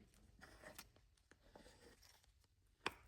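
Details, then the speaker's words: Warn manual locking hub, NOS and never indexed, for a 1957 Power Wagon, tested on the bench after re-indexing the dial from about 12 to almost 3 o'clock: one crisp clack into lock with no grinding or binding. The hub now engages normally. "then lock so we can hear it. Nice and easy. Nice and easy. That solved the problem."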